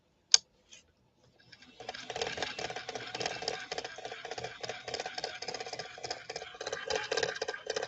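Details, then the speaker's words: Swedish sewing machine with a struggling motor: a harsh, rapid, uneven scratchy grinding clatter; the motor is running very hot and smells; cause not yet found. "That sounds horrible, doesn't it? I'm really glad that Solange sent this machine in."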